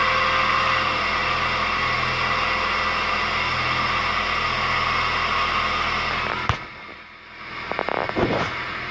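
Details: 2004 Suzuki Aerio at cold-start idle: a busy, uneven rattly churn over the engine note that then quiets; the owner doesn't know the cause.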